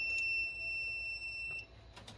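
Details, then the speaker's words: Booster pack hooked up to a project mower battery: one steady high beep lasting about 1.5 s, then quiet. This is the normal hookup tone, though it also beeps when it hasn't worked. "so that's what it's supposed to whenever you first hook it up for some reason it doesn't always do it"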